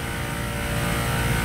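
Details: Emerson CoreSense-protected scroll compressor running with all indicators green: steady low hum with an even tone, no knocking or rattle; running normally.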